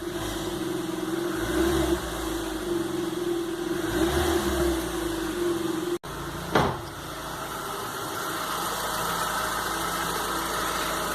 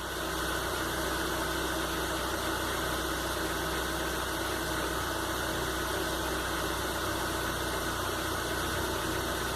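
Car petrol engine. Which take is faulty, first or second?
first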